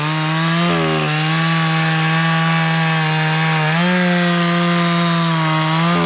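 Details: Echo CS 590 chainsaw at wide-open throttle, set rich for break-in: steady scream with brief dips and recoveries, burbling; high-speed mixture rich, four-stroking, high screw then turned in about 1/8 turn.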